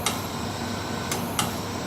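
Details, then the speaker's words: MBraun MB 200MOD glove box holding pressure between 1 and -1: a few sharp, isolated ticks over a steady hiss as it stops purging and refills the box; normal pressure-regulation valve. "So once the pressure inside the box gets low enough, it stops purging and refills the box. That's that ticking noise we hear."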